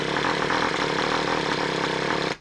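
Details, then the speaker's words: Freshly swapped Traxxas Revo 3.3 nitro engine on first start, primed by covering the exhaust. It buzzes about two seconds, then cuts out and won't keep running. Stubborn, hard starting; owner suspects it is flooded. "when you first fire up a 3.3, I it's been my experience that they are really stubborn."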